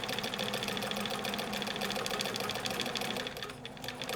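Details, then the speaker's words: Vintage 1965 Bernina 730 Record free-arm sewing machine after overhaul, sewing a decorative stitch from its internal cam at slow-moderate speed. Light, even, clock-like ticking around three per second with no grinding: normal running. "So, I'm going to start sewing and I'll start slow. You can hear the sound. Berninas, like all machines, have a distinct sound."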